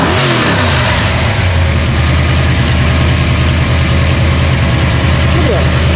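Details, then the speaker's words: Ford Mustang 302 HO small-block V8 with sticking carburetor needle and seat that flooded it; recranked after redoing the back: slightly lumpy, sagging idle, puffing black smoke and loading up at idle, running rich; carb needs rebuilding. "well I was puffing some black smoke which means we have a lot more sorting out the carb it really needs to be rebuilt"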